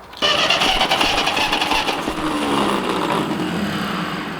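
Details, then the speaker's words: Steady, even cranking for about four seconds, with no uneven beats or dropouts, on a long-unused Ferguson TE-20 tractor after confirmed spark; the plugs are dirty. Compression sounds strong and equal. "I will check the compression just to make sure, but it sounds like the compression is really good."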